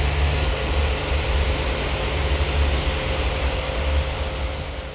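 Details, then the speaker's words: Spitwater 10-120H hot water pressure cleaner with burner switched on, thermostat turned above ambient and trigger pulled: steady low roaring rumble with even blower hiss over the pump, burner lit and firing smoothly as the water heats. "As we then turn our dial up to a temperature above our ambient temperature and we pull the trigger, you'll notice there will be smoke discharge from the top of the burner coil and our water will start to heat up."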